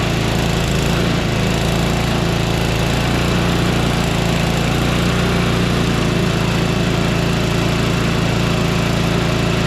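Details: Small single-cylinder engine after a conversion, running after priming with fuel shutoff opened: steady fast chug, even firing, no knocks or misses; runs fine.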